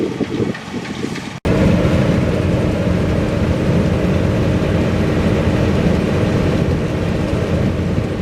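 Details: Massey Ferguson 40 combine's Valmet six-cylinder diesel, back harvesting after three years idle and repairs (elevator chain tightened, reel connection fixed), holds a deep, smooth, even rumble under load; running beautifully, healthy.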